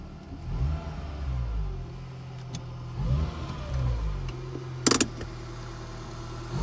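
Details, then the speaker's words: 2000 Fiat Panda Young (141) engine driven slowly after a rebuild with new rings, valve seals, oil pump, and timing chain and tensioner, fixing worn rings and oil burning: quiet, smooth note rising with light throttle, no ticking or rattle. Very quiet and healthy. "ecco adesso vado un po piano vediamo se si sente il non rumore del motore e veramente un'altra cosa"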